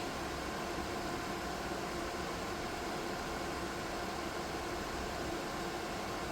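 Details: DIY 3D-printed soldering smoke absorber with 12 V 120x25 mm fan and PWM speed controller, run at maximum power: loud steady airy rush with faint constant hum, no rattles or ticks; fan runs cleanly.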